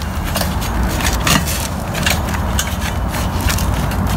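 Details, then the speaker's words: Fiskars StaySharp Max 18-inch reel mower after counter-clockwise blade adjustment: hand-spun reel whirs with only light even clicking, no hitting; all blades now clear the bed knife. "you don't hear hear that hitting anymore so all right so we're clear all the blades are clear here"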